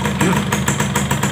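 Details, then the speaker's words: Yamaha F1ZR two-stroke before engine teardown, weak compression and burnt piston suspected: uneven rattly idle with heavy pulses about five a second, harsh metallic edge, noise at front and middle of engine; rough idle, cause unconfirmed. "kita cek dulu suaranya Suara kasar Seperti apa terjadi"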